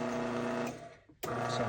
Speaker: that's what it sounds like hold the button it'll go down